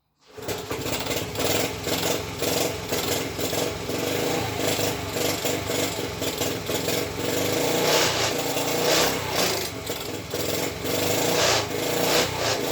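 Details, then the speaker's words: Rebuilt Honda ST50 small engine first start attempt on choke after kickstart: runs lumpy and uneven, surging and stumbling with irregular pulses; runs rough, owner suspects the coil and plans to source another. "I'm still not convinced of that car at least he's running that's something"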